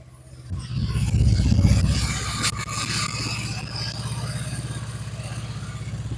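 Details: Honda Vario scooter with total ignition loss, after replacing failed CDI and regulator/rectifier: engine catches, revs up, then settles into even steady idle with regular beat; ignition restored, normal running.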